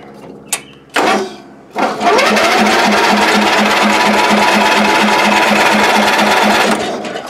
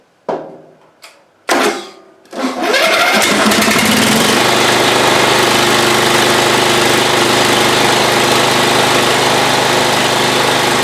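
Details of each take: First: Old Ariens, sat in shed a couple of years, battery jumped, doused with spray: steady starter churn about three and a half beats a second with no firing; cranks no start, previously found to have no spark. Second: Old Ariens, sat in shed a couple of years, battery jumped, running on old stale gas: after a few failed cranks the small engine catches and holds a steady even buzz with no misses; running fine again.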